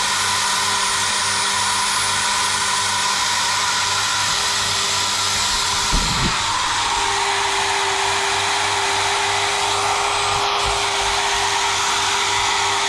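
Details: GTPRO ceiling sander with Makita-type motor after brush service: motor spins up to a smooth, steady high whine with no sparking rasp; new brushes still bedding in.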